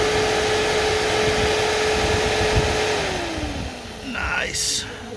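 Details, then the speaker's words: 2005 Mercedes E55 at 165k km, cooling fan activated via diagnostic tool during check-up: steady smooth whir at constant pitch winding down evenly, no rubbing, ticking or rattle; normal, quiet cooling fan operation. "it's been nice without any sound amazing that's a good one"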